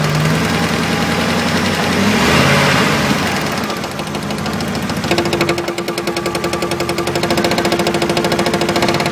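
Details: 1999 Dodge Dakota 4x4, 5.2L with automatic transmission: rough, quick ticking beat, softer in neutral, louder with a whine in drive, absent in park and reverse; owner suspects the transmission, unconfirmed.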